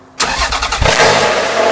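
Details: Toyota MR2 V6 just fitted with a quad exhaust with straight-pipe option, first start in the quiet setting: a short crank, then it fires and settles into a subdued, smooth idle with a mild exhaust note. Healthy start.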